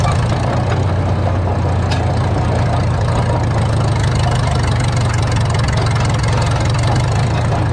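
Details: 1952 Caterpillar D2 crawler running on a temporary fuel tank, steering clutches still frozen: deep, even chug at a steady low idle with no knocks or misses.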